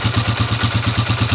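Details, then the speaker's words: Honda TMX 155 single-cylinder motorcycle idling right after valve clearance adjustment (0.05 mm feeler gauge), previously irregular rocker arm tapping: now even, steady beat with light regular valve tapping — normal healthy idle. "Yan oh o yan pa lang mga ka yung andar niya ay pantay-pantay yung palo ng rer arm yan oh okay diretso lang siya o"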